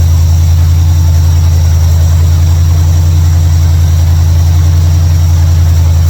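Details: 1955 Chevrolet Bel Air, carbureted, running after ignition bypass and carburetor mixture/air screw adjustment: deep, steady low rumble with an even beat, no stumbles or misses; idles much better than before, a normal idle.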